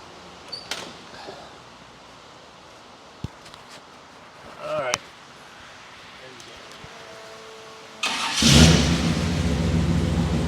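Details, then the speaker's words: 1976 K20 squarebody 3+3 crew cab lifted 4x4, 496 big block (just under 500 hp, AFR heads, Quick Fuel carburetor): quick crank, catches and settles into strong steady rumble; normal start. "Again, you heard it, sounds good, runs good, operates good. It's a great truck."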